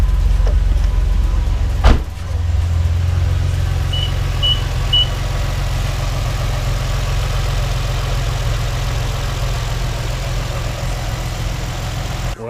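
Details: Infiniti G35 Coupe first start after installing a 5/8 plenum spacer and new plenum: brief blip, then a steady low, even idle rumble with no misses or knocks; engine idling smoothly.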